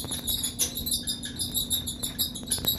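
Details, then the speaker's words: Kenmore 600 series dryer running: repeated high chirping squeaks over a low drum rumble from worn, lint-clogged drum support wheels; wheels, belt and tensioner to be replaced. "that is coming from the wheels the wheels that support the drum"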